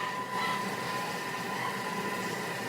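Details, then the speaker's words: Food processor grinding peanuts to smooth peanut butter for two minutes at speed five, quieter than before; a steady grinding roar with a faint high whine and no surging. Normal grinding at medium speed. "it's gonna just grind it to a nice smooth peanut butter for two minutes at speed five it's not quite as loud this time"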